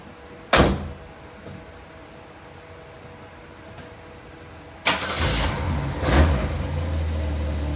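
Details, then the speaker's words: Mustang after its blown torque converter was replaced, before coming off blocks: the engine cranks briefly, catches and settles into a steady even idle with no whine or clunk; the earlier noise is gone. "no more noise okay this is sweet no more noise noise uh torque converter sounds great motor fires right back up super stoked"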